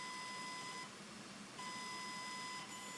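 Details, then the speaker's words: Fischertechnik robotic arm gearbox motor at low speed settings via diagnostics interface: thin, steady high whine cutting out and returning with no rotation, stalled; it only runs at full speed, which is too fast. Cause not confirmed. "see here I have a problem the motor doesn't go until I set it to full speed yep and that is too fast way too fast"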